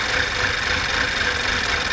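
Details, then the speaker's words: 2010 VW Tiguan 2.0 TSI no-start, codes P0300, P0341, P0016; after refilling oil and refitting spark plugs it starts with an uneven, stumbling misfiring idle on all cylinders; timing chain suspected to have skipped teeth. "oh it actually started isn't that beautiful now it's Mis fighing I can feel the M but it actually started"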